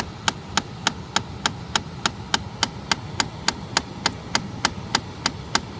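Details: 2013 Chrysler 200 parked with nothing running: loud, sharp, evenly spaced clicking about 3.5 per second behind the glovebox near the cabin air filter, happening constantly even after long sitting; cause unknown.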